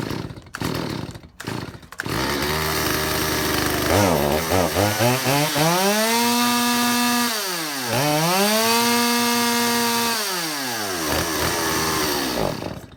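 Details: Stihl 025 chainsaw after two mechanics' carburetor work: revs surge and sag unevenly, never steady; lean, hunting running.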